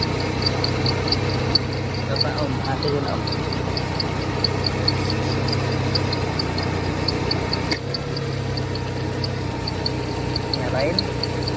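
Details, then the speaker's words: 2003 Peugeot 206 idling after refitting the BSI unit to restore power to the AC magnetic clutch: compressor engaged with a steady fan whir over a smooth idle; AC back to normal operation. "Được rồi Tuyệt. Nó đã trở lại bình thường Ơn Chúa"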